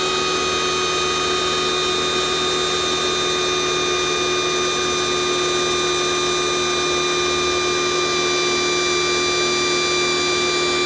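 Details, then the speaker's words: Kioles pressure washer failing on its second use: a steady high-pitched whine that never drops or cuts off, the motor keeps running with the trigger released. Defective power switch; pressure is also inadequate. "but note that the mother has never turned off the motor keeps running continuously"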